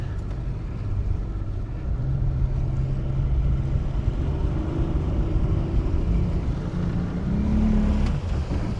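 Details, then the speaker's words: Wellcraft Sportsman 180 boat with a Mercury 150 outboard, on its maiden voyage after sitting about 2 years, earlier reached 39.3 mph: low flat drone that won't rise above idle despite throttle. Cause unknown. "Nope. I don't even think it's gonna let us get stranded. It won't get above an idle."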